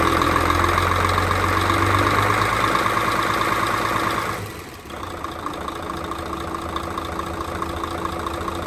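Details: Mercedes Actros OM501 diesel truck after cylinder head repair for intake valve recession and valve adjustment; regular, even idle clatter about three beats a second that drops back and holds steady; normal idle, engine healthy.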